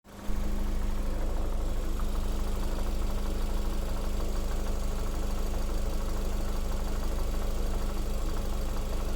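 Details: Lada Vesta SW Cross 1.8, built January 2019, 29,000 mileage: steady idle with a fast, even tapping knock at about two per second that does not change; engine knock, source unclear.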